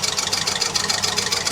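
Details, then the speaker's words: Mk1 Ford Fiesta idling on a makeshift cable-tie fan belt: rapid light clacking at about eight per second, bright and tinny, as the heavy end of the cable tie rubs the water pump housing; the pump and alternator spin, but the tie soon broke. "Oh, I think it's rubbing on the um water pump housing just there, actually. It'll either wear down or it will break the cable tie, I guess."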